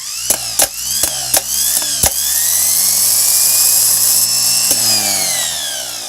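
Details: Rebuilt starter from K5 Blazer, bench-tested on battery clamps by jumping solenoid terminals: several sharp solenoid clicks, then smooth, steady high whine spinning evenly; rebuild successful, starter working properly.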